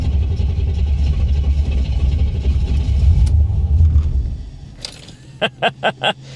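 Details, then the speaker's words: 1985 Chevrolet Corvette C4 on a cold morning, engine cold: deep rumbling crank runs for seconds without catching, then several separate cranking bursts before it finally fires. Hard cold start. "boy she does not like starting when she's cold we go"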